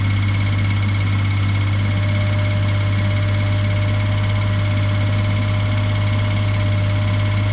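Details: 2018 Suzuki Every Wagon DA17W type 2, R06A engine, 55,000 km, oil changed every 3,000 km: loud, steady low drone at idle with a rough, slightly knocking edge; abnormal engine noise, cause not pinned down.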